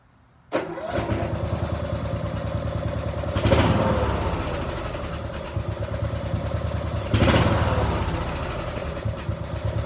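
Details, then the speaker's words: Small gasoline tractor engine run on diesel fuel: starts and idles roughly, faint rattling combustion knock rising only on throttle bursts. "If you listen closely, you can hear it knocking. And it only knocks like that when you give it gas, like any other diesel."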